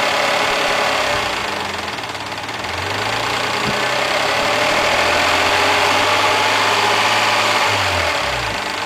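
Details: Mazda MX-3 engine warmed to normal operating temperature, idling: light, regular clatter about three to four per second; owner asks what the noise and problem are, cause unclear.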